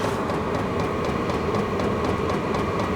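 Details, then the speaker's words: All-in-one diesel camping heater after ignition: combustion chamber on fire and getting hot, steady roar with pump tick around four per second as the pump speeds up further; normal running. "the pump just got a little faster even"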